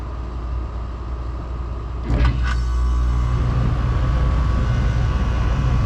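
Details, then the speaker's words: Rheem split AC condenser with leaking microchannel condenser coil and bad capacitor, nearly empty of refrigerant: contactor pulls in and compressor starts with a low, steady hum and no pressure load; compressor seems good but system is low on refrigerant. "Okay, well, that doesn't sound good, but it's almost empty. So anyway, I think our compressor is good."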